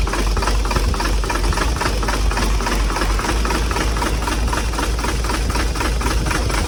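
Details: Hino J08C diesel truck engine, believed overheated, started roadside after oil was poured into the intake: rough run with a loud uneven knock over a thick chuffing roar, heavy blow-by and back compression; piston damage suspected, not confirmed.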